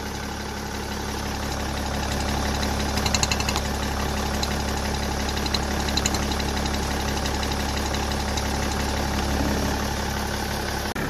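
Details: Steady, even idle of a BMW M47/M57 diesel with the oil filler cap lifting slightly and a light regular vacuum-pump tick; no slurping from the open dipstick tube, so the crankcase breather (CCV) is working fine.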